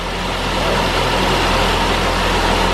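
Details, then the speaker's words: Saab 9-5 idling after fitting a junkyard OEM DIC, before warm-up: steady, even low idle with constant hum, no misfire or knock; runs smoothly. "a bonus i guess we should we'll let the car warm up and then take it for a drive see if it actually works because it idles fine"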